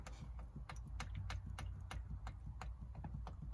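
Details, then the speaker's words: Bicycle rocked back and forth with the front rim brake held: sharp, irregular clicks and knocks, several a second, from play in a loose headset. The fix is adjusting the headset to remove the play. "So we hear that knocking. And so the headset is loose inside here."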